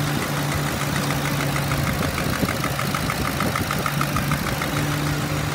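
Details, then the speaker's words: 2009 Ford Crown Victoria Police Interceptor, 4.6 L V8, 149,000 miles: a light, quick, even tick over a steady idle from the passenger side; source unknown, and oil burning smell suggests possible valve cover gasket leaks. "i hear a slight ticking sound coming from the passenger side here with my left side"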